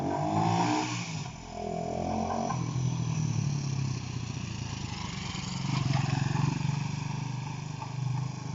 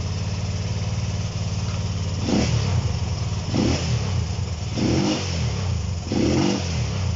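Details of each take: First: Honda CB125 RS after finding and fixing touching wires that caused running problems: single-cylinder exhaust note rises and falls as the bike rides up and down the street, firing evenly with no misses; running cleanly. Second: Honda CB125 RS, no choke, no battery fitted: single cylinder blipped about every 1.5 s, revs rising then sagging unevenly. Stumbles when revved; owner suspects fuel starvation and plans jetting changes.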